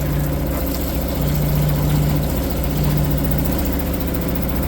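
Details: Suzuki 2.5 HP DF four-stroke outboard that wouldn't start because the oil level sensor tripped at the low limit, oil topped off: steady, even warm idle with smooth low thrum, no knocks or misses; running cleanly.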